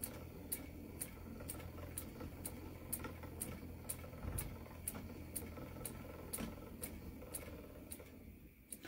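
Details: Spinning wheel treadled while spinning angora blend: crisp, regular click about twice a second, roughly 128 a minute, the drive band joint passing over the whirl once per wheel turn.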